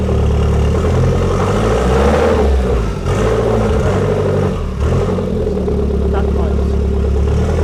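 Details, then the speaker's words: Fiat Tipo Sedicivalvole 16v turbo just started: steady low drone with small dips, won't rev freely; vacuum pipes, boost control and intercooler not yet connected, incomplete circuit. "Why doesn't it like to rev though? >> Because there's still VAT pipes that need sorting out."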